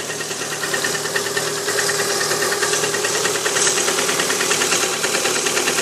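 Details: Lada Priora 126 engine, cold start at 10 °C: hollow, regular tapping over two per second riding on the idle, disappears when the fourth-cylinder coil is removed; piston slap on one cylinder.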